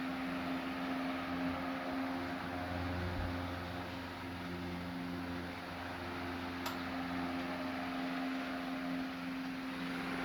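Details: Late-1910s/early-1920s Marelli Bisa 12-inch oscillating table fan at medium speed: steady, smooth motor hum with an even low tone and no rubbing or ticking; runs cleanly and normally.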